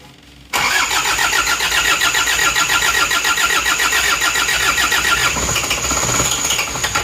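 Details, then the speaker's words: Isuzu Panther diesel rebuilt after running out of oil and seizing, crankshaft reground and liners redone: short crank catches at once into a steady, fast, even diesel clatter, a clean start. "terus terus ini Lur sudah hidup yang baru saja ee bubut askrek ini balik liner"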